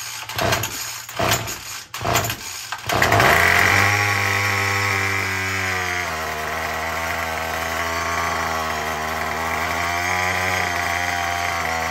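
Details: Murray M2510 two-stroke string trimmer, previously no-start with broken choke lever, primed and pull-started: catches after several tugs and settles into a steady high buzzing run, now starting and running properly.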